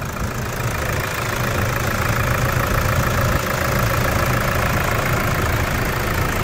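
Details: 2012 Toyota SW4 3.0 diesel, about 285,000 km, after repair of broken turbo causing loud noise, leak and no power: steady even idle with light regular clatter, no whistle or knock; normal idle.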